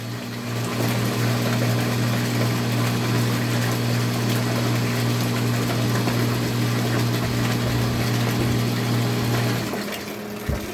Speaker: I turn off the pump and I come back and turn it on so you can see how good it is